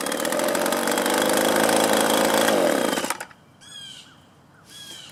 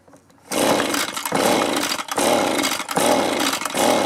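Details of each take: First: Echo leaf blower, a small two-stroke, after carburetor adjustment of the low and high screws and idle: a high steady buzzing drone for three seconds, then a clean shutoff. It now runs well. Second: Echo leaf blower, a small two-stroke that sat a long time, after its carburetor was cleaned and refitted, on choke: it revs, then sags and surges roughly every second without holding steady. It isn't pulling fuel.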